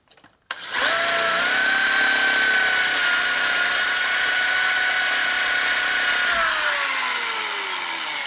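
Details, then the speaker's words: Drilling a hole during 1999 80ci Evo chopper rebuild; drill spins to steady high whine with smooth rubbing scream, no cutting chatter; broken carbide bit edge rubbing not cutting, to be reground as offset spade drill. "So you can see how the edge right there is rubbing, but it's not cutting, so we need to sharpen it to be a spade drill, an offset spade drill."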